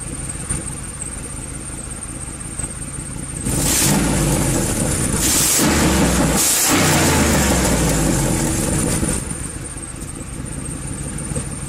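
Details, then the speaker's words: 2011 Ford Crown Victoria P7A V8 with no maintenance records, exhaust partially eaten through: revs up and settles to idle with a raspy, blatty edge and exhaust smell; exhaust leak, full exhaust replacement planned. "let's get here this lovely exhaust partially eating"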